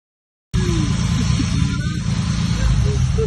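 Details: Newly turbocharged ute with new fuel pump and injectors, driven after start-up with poor tuning: loud, lumpy low-end roar with uneven pulsing under boost; engine blew up, about 2 litres collected in the catch can.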